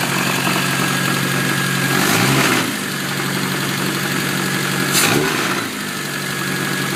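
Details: Supercharged classic Mini at steady idle with two short rev blips: a quick knock stays underneath; the source isn't pinned down, owner suspects the supercharger bearing.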